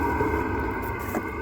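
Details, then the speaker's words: Velit 4000P gasoline heater in a 2023 Ford Transit van, first startup after install, at full output with no muffler fitted, heard a few feet away: steady low rumble and soft whoosh, no ticking or rattling, like an RV propane furnace; running normally. "few feet away kind of sounds like what an RV furnace would sound like running like a normal propane one again the muffler does help"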